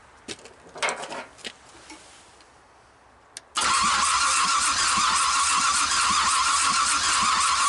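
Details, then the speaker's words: 427 big block with stock cam for a 1959 Triumph project, cranking during compression check, about 140 on cylinder eight: even, steady beat of about four pulses a second with no uneven strokes, good compression before first start. "about 140 on that and so we know to start and run"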